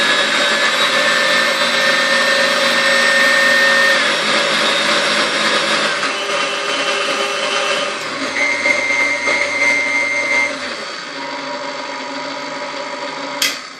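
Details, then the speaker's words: 1993 KitchenAid KSM5 stand mixer after restoration, regreased with lithium grease: smooth even motor whine stepping up in pitch with each speed from stir to 10, no knocking or grinding; runs healthy. "Alright, oh, I missed the first speed there. There we go. So it's got stir all the way up to 10. Seems to run really well."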